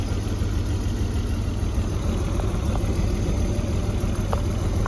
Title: BMW E34 520i Touring Motorgeräusch beim kalt Start danach Raucht er weiße Wolke aus dem Auspuff